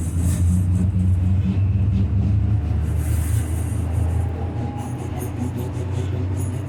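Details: Leipzig LVB Leoliner NGT6 tram running: a deep repeating thump about four times per second over the rolling noise, from a loud wheel flat spot.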